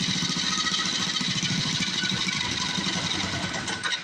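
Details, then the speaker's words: Cheap second-hand small-engine mini bike just started on choke and warming up, choke taken off too soon: small single-cylinder runs with a quick, fairly even buzzy putter and no knocks or rattles, running normally. "All right. I shouldn't have taken the choke off so quick. Let it warm up. It's going to be a good running little bike, I think."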